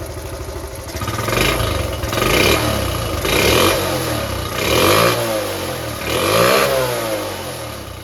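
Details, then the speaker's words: Restored Honda Cub C70 single, choke off, picks up cleanly on five quick throttle blips and settles back without misses after the ignition points fault was fixed; running properly. "see what it runs like sounds all right sounds fing perfect"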